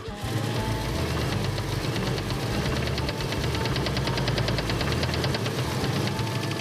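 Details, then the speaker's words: V8 wagon cranked and started, running on the old fuel left in the tank. A fast, regular ticking knock of about ten per second rides over a rough idle and is getting worse. Suspected rod knock; the engine is considered blown and an engine swap likely. "The engine is blown up. Sounds like a rod knock or something good."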